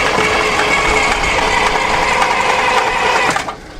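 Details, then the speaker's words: Abandoned John Deere 6600 combine being revived: rapid uneven cranking at three to four beats a second never catches, and no fuel comes out. Crank, no start, suspected to be the fuel cutoff solenoid not opening. "I'm starting to question our cutoff valve. Yeah? Maybe it's not opening."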